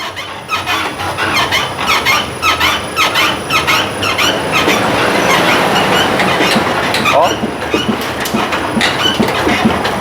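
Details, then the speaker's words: Ford Ranger rear suspension shaken on a test rig: metallic clunks (top top) and squeaks from the worn rear leaf spring; wheel hub also noisy, leaf springs to be addressed first. "tem um barulho forte na traseira ou vem característicamente bem aqui do feixe de mola tá eu ponho a mão aqui faz um Olha tem um rangido tem um rangido e tem também o tranco faz um top top"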